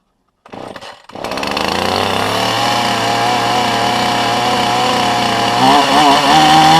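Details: 2015 Husqvarna 450 chainsaw with an 18-inch bar and 50:1 mix: the pull-start catches, then it settles into a steady, even high buzz with a clean firing note. A healthy running two-stroke.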